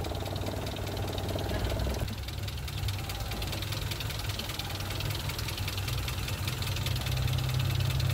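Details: Mitsubishi Lancer "Pizza Pie" after replacing the noisy release bearing (missed during earlier clutch lining and pressure plate job): steady idle, no whirring or grinding from transmission with clutch pedal pressed.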